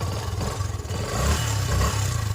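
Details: Yamaha FZ-S motorcycle engine: uneven low beat with a clattery rattle riding over it as revs rise and fall; customer complains of engine noise and no pickup at all, cause unclear, slated for full service.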